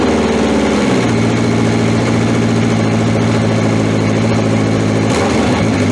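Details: 1981/82 Honda CB750 K four-cylinder motorcycle restarted after battery refit, about two hours after the last run (sort of a cold start), fuel on; catches and settles into a steady, even idle with no knocks or rattles.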